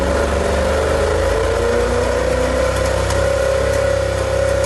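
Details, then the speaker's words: Ferrari F40 abandoned in the Iraq desert, got running by a local owner without specialist help, ECU problems reported: steady drone with a rough uneven undertone and wandering pitch; runs but not cleanly, cause unconfirmed. "now this guy tried to uh fix the car he was quite successful he got it running but it still didn't sound too good at all"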